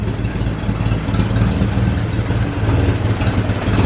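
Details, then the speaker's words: Ferguson 20 petrol/TVO four-cylinder tractor that sat in a shed about 10–15 years, first run after revival, still leaking coolant: steady, even low rumble at idle with no misses, knocks or stumbles, running cleanly; normal idle. "she's running quite cleanly right yeah let say she's a runner okay so that's it she's a runner"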